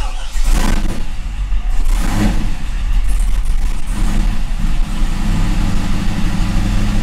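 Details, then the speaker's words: C5 Corvette Gen 3 LS1 with an LS3 90mm gold-blade throttle body, run on the 411 PCM after an HP Tuners tweak with no wiring changes: cold start catches with revving flares, then an uneven hunting idle; rough cold start and idle. "it definitely didn't like that cold start for some reason so we'll have to kind of play around with that a little bit but"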